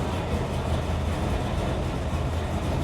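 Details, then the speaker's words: 1970 Dodge Challenger R/T tribute, 426 Hemi V8 with 4-speed, idling after firing right up; deep steady even rumble with no knocks or ticks; runs good. "He runs good. Yeah, it fired right up."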